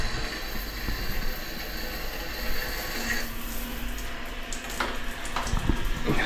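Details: Shower fed by a newly plumbed water tank and pump system: a steady, even hiss of water from the shower head with a low pump hum. Pressure is normal and unbroken.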